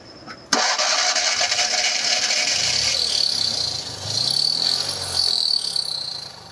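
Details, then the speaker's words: 1975 Fiat 500 R being driven from Italy to Hamburg: engine runs with a raspy, buzzy putter swelling on throttle blips; first feared engine or V-belt, found to be a cracked exhaust causing the noise, safe to keep driving – exhaust leak. "der auspuff hat einen riss und der macht das geräusch damit kann ich unbesorgt weiter fahren"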